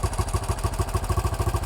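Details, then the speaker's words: 1968 BSA single with a newly fitted carburettor: thumping at roughly seven beats a second, with the throttle held so it doesn't stall. It won't hold an idle on its own until the idle screw is turned up. "I can you just hold the throtle so it doesn't stall what we going to do is turn one of those screws up which will give us an idle"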